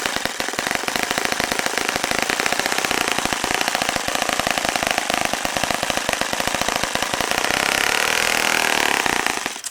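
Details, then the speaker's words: Saito FA-65 four-stroke model engine, throttle fully closed after leaning idle mixture slightly: fast harsh buzzing holding high revs, climbing slightly before cutting out as it runs out of fuel; idle speed too high. "my quota throttle my throttle there you can see how it's fully closed and it's not going down very high"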